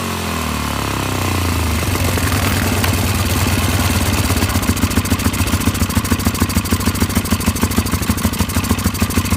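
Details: Polaris 500 HO single-cylinder ATV that came in as a no-start, with bad old fuel and mouse droppings; carb cleaned: fires up, revs freely, then settles into a steady, even thump at idle; running right.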